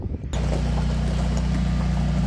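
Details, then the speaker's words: Generac Guardian 22kW automatic standby generator during its first real power outage, powering the house through the auto transfer switch: loud, steady low drone with no surges or misses; working great. "so obviously it's a little loud. See, it's working great."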